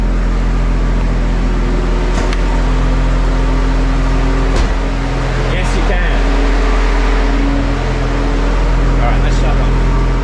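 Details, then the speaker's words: BMW N54 engine idling on cold start in a garage after a corrupted MHD flash done from an iPhone. About 20 seconds after starting it sets an engine fault and rail pressure drops. The cooling fan roars at full speed, partly masked by a loud dual-mass flywheel. "and with my dual mass flywheel which is really loud in here it might be hard to hear but can we hear the fan going off"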